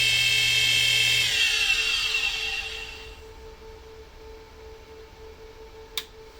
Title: Noisy Spindle Ball bearings Iceskate sharpener; Incredible Edger